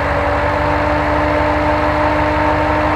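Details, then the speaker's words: LS-LT swapped Jeep JK with Camaro SS fan run by GM ECM: steady even idle with constant fan whoosh following AC pressure, idle rock-solid as compressor engages and disengages; normal fan and idle. "you can also hear the fan following along with AC pressure so if we look at our compressor down here you notice it just disengaged engaged yet the idol is staying rock-solid"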